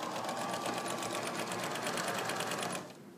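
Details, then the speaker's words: Sewing machine during a test sew with zigzag stitches and pressure foot down: a quick, even stitching rhythm with light mechanical chatter and no knocks or binding, humming along happily and running normally. "my machine is humming along i can hear it sounds very happy"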